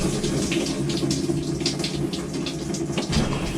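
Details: Maytag Bravos top-load washer MVWX655DW1 in manual diagnostic test mode, hot/cold fill test: steady hiss of water into the tub with a faint hum, even flow without chatter; water inlet valve filling normally.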